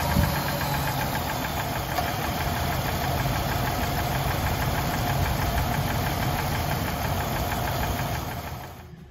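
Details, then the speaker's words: High-mileage 190,000-mile engine at cold start before an oil change with Lucas Oil Stabilizer, oil about half to one quart low: fast light ticking, about 220 a minute, over a rough idle; a loud lifter tick, plus heavy knock. "so i'm going to go ahead and do a quick before on the start so you can hear that tick"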